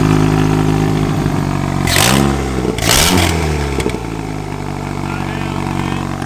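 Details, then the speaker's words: Mitsubishi Lancer 4G15 turbo, first start after build with shortened dump pipe: crisp throttle blips rise cleanly and fall back to steady idle, no knocks or rattles; healthy free revving. "we're just gonna start this up again give it a few more revs hopefully uh I'm not annoy anyone but I want you guys to be able to hear this sounds really good"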